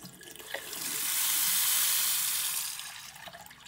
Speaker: and there we go it doesn't matter how slowly we turn the tap on or off there is no pipe hammer anymore perfect